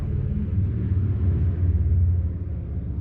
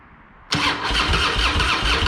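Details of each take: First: Harley-Davidson Fat Boy, sat a couple of years, after fuel valve diaphragm replaced: low loping V-twin rumble settling into steady uneven-firing idle, nothing rattling; runs fine. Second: Harley-Davidson Fat Boy, sat a couple of years, fresh high-octane fuel, Mobil 1 20W-50, tended battery: loud rhythmic starter churning but the V-twin never fires; no fuel reaching it because the fuel valve was left off.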